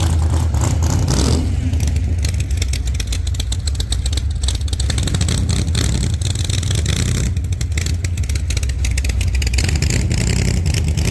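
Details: 1948 Chevy Fleetline small-block Chevy V8, 4-speed, test burnout after repair for pushrods breaking on first burnouts: deep rumble pulling hard through repeated revs, steady and even, no knock or clatter; normal healthy running.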